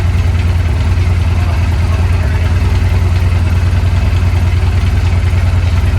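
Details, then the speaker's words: Engine first start-up after fuel pump problems and unwanted full-throttle high revving, with throttle connector unplugged: deep steady lumpy idle about three pulses a second with faint irregular ticking; runs, minor noise unexplained. "This little noise right here, but the whole thing is we got it going."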